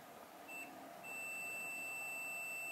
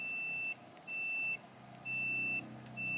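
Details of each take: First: Samsung TV with normal sound but no picture and working backlight: multimeter in continuity buzzer mode on the LCD panel capacitors gives a steady high beep, meaning the capacitor is likely shorted. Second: Multimeter in continuity/buzzer mode with its probes shorted together, during a Samsung TV no-picture repair: four steady high-pitched beeps of about half a second each.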